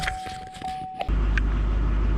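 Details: 2004 Duramax LLY diesel after CP3 pump replacement for crank-no-start with 200 psi fuel pressure: after clicks and handling noise, fires and holds smooth steady low rumble without hunting or stalling; actual and desired fuel pressure now match.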